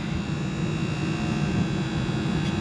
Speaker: I hear something humming. It's a little bit warm. They may have lost this turd. It may have went to the El Grande Grand. It may have left the building. That's not good. Not good at all. That sure sounds like the compressor's twisted off and just running.